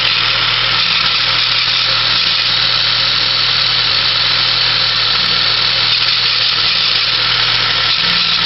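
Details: 1996 Saab 900S at idle with a loud, constant high-pitched hiss or whir from the belt and pulley area of the engine; cause unknown.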